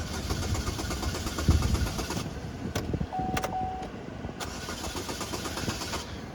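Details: 2011 Chevrolet Malibu that shut down at a stop sign and wouldn't crank; scan tool showed forced engine shutdown, cleared: starter churns, engine fires and runs briefly with a rough uneven beat, then dies instead of idling.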